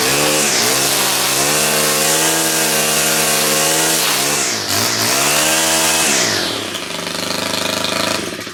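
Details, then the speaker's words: STIHL four-stroke handheld trimmer, cold start: engine catches and holds a steady tone, dips and picks back up cleanly, then winds down; healthy start and run. "Those things always start nice like that."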